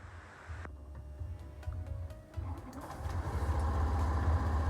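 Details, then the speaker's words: Honda Scoopy (K44) after fake-oil damage, with replacement cylinder head fitted and CVT pulley ring corrected: catches after a second, soft even low idle without rattle; smooth, power restored. "Oke teman-teman ini mesin sudah menyala dengan baik suaranya juga halus tenaganya juga sudah kembali"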